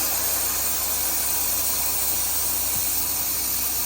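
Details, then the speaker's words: Truck/trailer lift axle being lowered after fix with small flathead screwdriver: steady even air-venting hiss over low idling engine, no sputter; axle valve exhausts normally. "We'll put it down. And that's that air you hear coming out of those two"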